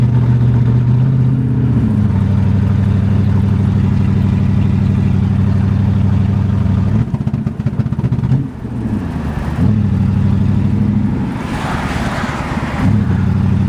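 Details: 1981 Mercedes 380SL V8 with K-Jetronic, on first test drive after fuel pump, fuel control relay and all fuel lines were replaced: the engine drones evenly, then stumbles and sputters under load with lack of power; misfire cause still unknown.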